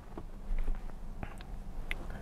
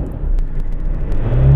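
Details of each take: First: 2008 Ford Ranger 3.0L turbo diesel with intermittent hard starting and heavy black smoke, no fault codes: several seconds of slowly building cranking before it catches into a loud run; long-crank hard start. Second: 2008 Ford Ranger 3.0L turbo diesel with an intermittent hard start, long crank and black smoke, heard on a drive: a deep rumble revs smoothly with no misfire or hesitation and plenty of power: normal free revving.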